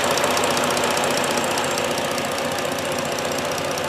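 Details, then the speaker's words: 3.7 Duratec swapped into Herbie project running on a 3.5-programmed PCM, first startup with no codes: smooth, quiet steady idle with only a light, quick, even injector ticking about four a second; engine healthy. "but that is a smooth running engine even with the tunes water pumping on him listen to that how quiet this is folks that is remarkable all you hear is the injector ticks"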